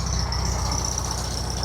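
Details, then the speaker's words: Classic 1970 VW Beetle air-cooled carbureted engine idling just after a cold start, carburetor bowl recently cleaned: steady, even low putter with regular beat, no knock or tapping; running great, earlier suspected rod knock gone. "It just started right up. It fires right up, and it's been running great."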